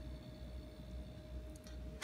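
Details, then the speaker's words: LG American fridge with linear compressor, after internal repair of a broken terminal and regassing: quiet steady low hum, faint constant tone and fan whir, slight vibration, no clicks or rattles; compressor running normally. "il est en fonctionnement donc on on entend on sent la légère vibration c'est le compresseur qui est en route on entend le ventilo voilà ça marche"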